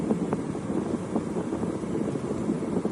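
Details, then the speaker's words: Moving car after replacing the nut causing steering wheel clicking; only wind and road rumble heard, no clicking from the steering. "اسمع كده الصوت دلوقتي فيش اي حاجه تمام الصوت اللي اسمعه ده صوت الهوا اللي حواليا"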